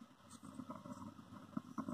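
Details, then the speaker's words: Small IC amplifier circuit at switch-on: faint irregular crackling and popping over low hum. "इसको on करने पर account करने पर इस तरह की आवाज़ आती है"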